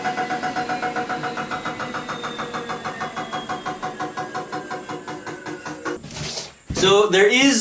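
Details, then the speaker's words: Homemade 72V 12,000W electric dirt bike on a Kawasaki KX250 frame, running on the stand: rapid rhythmic ticking tracking wheel speed as a brake disc bolt rubs the caliper bolt; fix is shortening the bolt. "weird noise you hear that but i figured out what it is it's basically just this bolt that holds on the brake disc is rubbing up against the bolt that holds the caliper"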